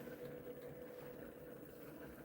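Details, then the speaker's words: DIY pulse motor on a 9-volt battery, previously drawing under 100 mA: steady whirring hum at constant pitch with a rough buzzy edge; rotor shaking, owner suspects rotor not sturdy, unconfirmed. "Yeah, it's just shaking. It's all right. We'll slow it down."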